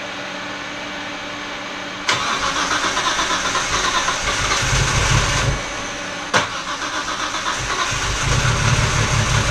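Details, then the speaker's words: R32 Skyline GTR after a fuel pump connection fix and with coil packs reseated: it catches and runs lumpy with uneven chugging, then dies; the plugs looked fine, the misfire persists, and the owner suspects the tune. "yeah it's no like logging here at the back still misfired [Music] it died something's really wrong it might just be the tune because those plugs all looked fine wow it shouldn't be chugging like that"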